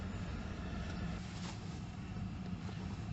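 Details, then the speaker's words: Mercedes SL heater blower after fixing a bad connection on the motor's return feed, suspected from condensation: a steady, low, even whirr at full speed and then stepped down, with no cutting out, rattles or surging; the blower runs normally. "okay, so now you can hear the fan, and I have all settings once more. There's the fan on full. Turn it down incrementally, and it's working like an absolute dream."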